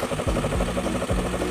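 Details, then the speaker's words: Carbureted Honda Beat scooter after repair for seizure and white exhaust smoke caused by late oil changes: steady, even idle with a smooth low putter and no knocks or rattles; engine cool and running healthy. "Adem, Guys, ya. Halus, ya suaranya, ya. Oke, halus, ya."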